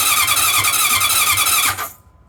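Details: 1981 CV750 motorcycle, non-starter, with a new battery fitted, gas on and kill switch set: the starter spins the engine briskly and evenly for under two seconds with no firing. Cranks but won't start.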